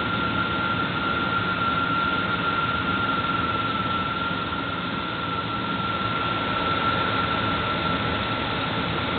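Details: Engine at steady idle with a constant thin whine near 1.3 kHz from the belt area; cause unclear.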